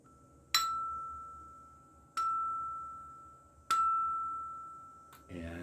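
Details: Self-sandcast aluminium guitar tremolo (T-Bone) tap test: three clean taps, each a bright bell-like ring at 1,335 Hz sustaining about a second; dense, sound casting without hollow thud.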